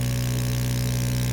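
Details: Sublimation machine vacuum pump pulling down on a ceramic plate before a 190-degree, 360-second cycle: steady low hum with a constant drone, no knocks, rattles or surging; normal running.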